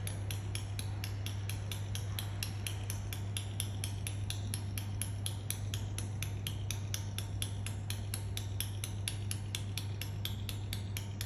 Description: While waiting for a train at Doncaster railway station I heard this odd clicking sound Like its tutting coming from a train.